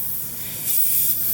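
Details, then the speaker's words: Dodge Caliber SRT-4 boost leak test at 10-15 psi, engine off: steady sharp hiss of escaping air swelling slightly under pressure from an open port on a hose from a canister, owner assumes EVAP; boost leak. "That is my boost leak. And this is that hose that runs from this canister back here, which I'm assuming is the EVAP."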